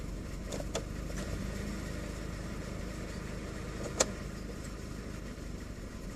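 Small petrol engine idling unevenly with an irregular lumpy beat and occasional stumbles in a quiet setting, a rough idle of unknown cause.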